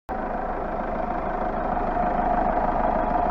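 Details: Hyundai Starex 2.5 diesel after full rebuild (new pistons, rings, turbo, intercooler, chains, balance shafts, water pump), engine seized before; steady idle clatter slowly firming up, no knocks or misses; healthy rebuilt engine.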